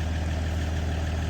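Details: 2022 Ram EcoDiesel 3.0 diesel with aFe intake, after installing aFe Power Blade Runner charge pipes: smooth, even diesel clatter at steady low idle, no hiss or whistle from intake; normal idle.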